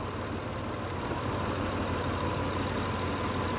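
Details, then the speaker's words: Honda truck with code P0108 (MAP sensor high signal), after the MAP sensor is fitted and codes cleared: low steady idle with an even pulse, no hunting, stumbling or knocking. Normal idle. "enciende la la patata como por arte de magia se escucha el motor bien berrón"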